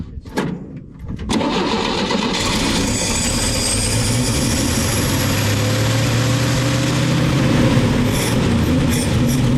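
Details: 1961 Chevy dump truck on a new battery after a dead one, carbureted, old gas found: starter churns several seconds, engine stumbles and slowly catches into a rough run; carburetor may need work; long cranking, hard start.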